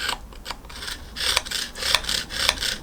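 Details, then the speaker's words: 1975 Triumph T140V Bonneville clutch, engine disassembled: rough rasping scrapes as a scriber is drawn along the central clutch drum slots; grooves badly worn, likely needs replacing rather than filing. "that seems very worn I suspect I'll have to replace that you can sometimes file them and get them smooth but usually when they like that it's a time for a new one"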